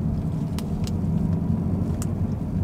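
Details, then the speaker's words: 2018–2019 Mustang GT (Bullitt) Coyote V8 after Ceratec treatment for a ticking noise between 1k–3k rpm in lower gears. Pulling away in first gear up a parking garage: steady low rumble, only faint injector clicks, no ticking. Tick appears fixed. "before, when I used to drive the car around the garage, about this right here, it will start making noise, and right now I believe I can only hear the actual injectors firing, which is great, great, great news. Yep, I don't hear a peep."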